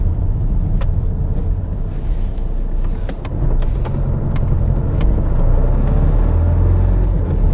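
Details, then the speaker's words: 2013 Vauxhall Insignia, 120,000 miles, while driving: a deep, uneven droning rumble with odd clicks and no engine knock; a failing dual-mass flywheel, though the owner wondered about engine mounts. "oh no that wow that's terrible [Music] it's weird though because it doesn't feel like the engine's knocking I don't think it's mechanical"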